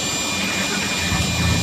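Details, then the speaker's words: 2011 Ford F-250 Super Duty 6.2L, which had a no-crank no-start with BCM, trailer brake module and AdvanceTrac faults, now started. Steady, even roar with a low rumble and no knocks or misses; running normally. "now we got it fired up simple as that"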